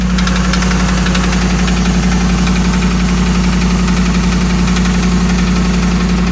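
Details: 2008 Dodge Ram 1500 5.7 Hemi at idle: hard, regular knock about two per second over a low drone; bottom-end sounding knock, cause unknown after five mechanics, who suggest a new engine.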